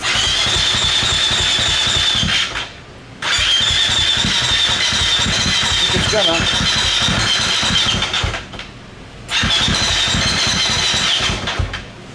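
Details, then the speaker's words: KTM 350 SX-F, an early fuel-injected dirt bike, cranked at rest; complaint is hard starting once warm, eventually won't start at all. Two long cranking bursts with steady whine, never catches; cause unconfirmed. "the customer complaint is that it's hard to start after it warms up eventually after it's running long enough it just won't start"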